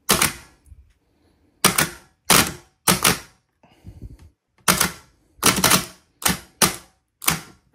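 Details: Starter motor on the bench powered by a small battery, not a car lead-acid battery: about ten sharp separate clacks as the solenoid throws the pinion gear forward each time it is powered; healthy engagement.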